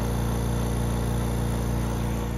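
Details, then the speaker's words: AirWeights vacuum CNC workholding table: after the part is placed over the gasket and pressed down, the vacuum pump is heard sealing and holding firm vacuum with a steady low hum, no surging or hissing leak; normal vacuum pump running. "put some pressure on the part and you can actually hear it seal the vacuum pump is now"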